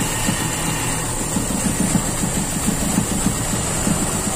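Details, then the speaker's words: Toyota Kijang Super with unstable idle and a wet number 4 spark plug, indicating no combustion there: uneven, lumpy idle with irregular pulses and hiss; cylinder 4 suspected as the misfire cause, false-air leak being traced, possibly the PCV. "kayaknya nomor empat ini yang bermasalah ini sumbangan dari nomor empat yang bikin pincang"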